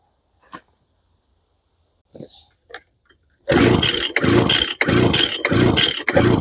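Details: Lesco handheld two-stroke leaf blower, choke up: roars up then bogs in uneven surges about twice a second, never holding full revs; suspected lean carburetor fuel starvation, muffler screen to be checked next.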